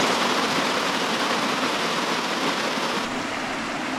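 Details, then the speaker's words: DIY hydroelectric penstock pipe with the valve fully opened for the first flow test; loud, steady hiss and rush of water through the pipe, even and unbroken with no surging or sputtering; normal full flow. "That's a lot of water. We're hydro mining for the remainder of the pipe."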